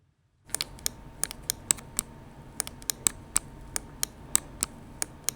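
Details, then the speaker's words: Finalmouse ULX Frostlord mouse: crisp clicks, some doubled; pressing too hard in the middle of the left (M1) paddle near the wheel also depresses the middle (M3) button. "So if you press too hard in the middle of the paddle on M1, it will also depress M3 as well."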